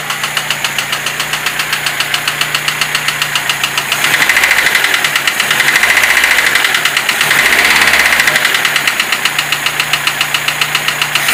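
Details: Lada Niva 21213 engine at idle: a steady, sharp knock about four beats a second stays regular throughout; engine knock, cause unknown.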